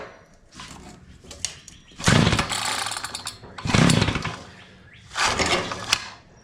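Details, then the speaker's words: Curb-find Mantis-style tiller, two-stroke Tecumseh engine, no-start: three pull-start bursts, each a rough rattling spin with a brief spit, never catching; engine cranks but won't run, feels like big compression, starter springs need cleaning so the dogs retract. "Tell you what though, she is trying to start. I can hear it. It kind of spit a couple of times."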